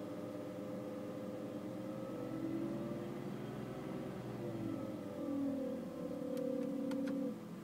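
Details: BMW E60 running with climate control on: whine from the air-conditioning/heating system that rises and falls with revs and stops when the climate control is switched off.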